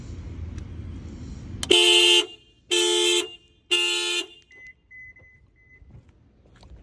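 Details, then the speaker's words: Subaru Outback with dead battery before jump-starting with a jump box: three short horn-like blasts about a second apart, then faint weak chirps at key-on. Dead battery. "The battery is dead on this, too. As you can see, there is no power."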